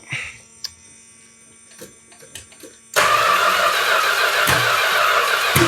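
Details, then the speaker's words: 1971 Chrysler New Yorker 440, parked 20+ years; after some clatter, steady cranking at three to four beats a second that never catches; distributor misindexed, not 180° out, spark mistimed. "I said there was a possibility I got the distributor in 180° out. It's not 180° out. It's something else entirely."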